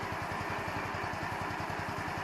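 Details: 150cc Chinese scooter, idle screw adjusted many times, mixture screw covered by welch plug; small single putters about eight to nine beats a second with slightly ragged rhythm; uneven idle, owner suspects idle mixture, not confirmed.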